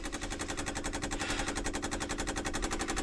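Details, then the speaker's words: Boat engine's electric priming fuel pump after an at-sea stall blamed on a clogged secondary fuel filter: after a bypass valve was closed, rapid even ticking about twelve per second as it draws fuel into the filter normally. "let's turn that off shut this one off now now the pump should be oh look at that made a different noise"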